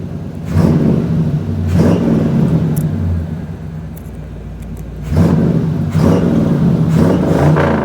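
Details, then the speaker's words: Square-body Suburban with a newly swapped SBC 350 V8 on its first test drive, warm but not too hot, oil pressure just under 40 psi: a deep rumble swells hard twice under throttle, pulling cleanly with no knocks or misses. It is tame at idle and strong under load. "Sounds awesome. It's very tame at idle, but man, it sure does get after it when you step on it."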